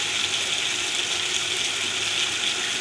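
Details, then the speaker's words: Water pump motor after fitting new bearings: only a steady hiss and rush of flowing water, no motor growl or bearing whine; previous motor noise fully gone, running smoothly. "अभी सिर्फ पानी की आवाज है motor की आवाज बिल्कुल खत्म हो गई"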